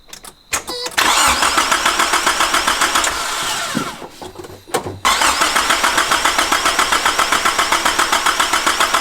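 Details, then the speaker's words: Turbocharged van's first start: the engine catches and runs with a loud, raw, pulsing rasp; exhaust is leaking out of a big open hole at the turbo dump/downpipe. "There's a big gaping hole on the dump. Yeah, I was gonna say it sounds like just exhaust leak coming right out the fucking downpipe."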